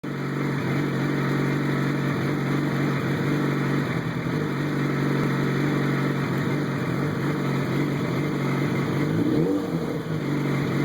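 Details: 2007 Yamaha FZ1 four-cylinder motorcycle running: uneven sputtering note, missing now and then; engine misfire owner is trying to cure.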